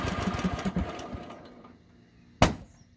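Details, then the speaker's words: Riding lawn tractor with the plunger removed from its fuel shutoff solenoid: the engine chugs and winds down, then gives one sharp muffler bang. Shutdown backfire, because the solenoid no longer cuts fuel. "but i will cut to a scene here that will show you what you can expect with backfire when you remove that plunger from the solenoid"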